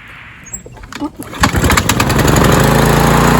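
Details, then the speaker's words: Troy-Bilt TB230 self-propelled mower, Briggs & Stratton engine, after valve job and new recoil: fires after a few sputters in one pull, climbs to a high, steady, busy drone faster than other mowers; engine RPM suspected set too high. "the Toro was running at a decent speed too but this one sounds like it's running a little bit too fast"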